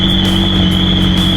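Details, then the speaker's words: Crashed McLaren 600LT started for the first time during its rebuild, with the alarm sounding and airbag and ABS faults showing: engine catches first time and settles into a steady, even note under a constant high warning tone; runs smooth. "But at least the car started up first time. Run smooth."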